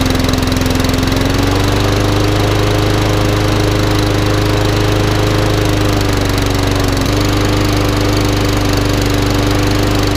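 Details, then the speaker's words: Small single-cylinder lawnmower engine after carb clean and new spark plug; earlier revved wildly from a stuck governor arm, smoky at first; now a steady even drone with one brief speed change; normal running. "A new spark plug in it. It wants a bit of love and attention, but it's all running."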